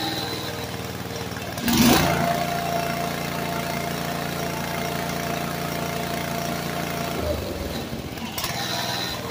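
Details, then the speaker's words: Walk-behind brush cutter that sank in a pond and was dragged out by tractor, with water likely still in the carb and fuel: catches and runs a few seconds with a wavering note, then dies, won't idle; owner suspects torn-up linkage limits throw. "well it won't idle great because I think I've got this this is all jacked up in here from being torn up so I'm not getting the throw I need"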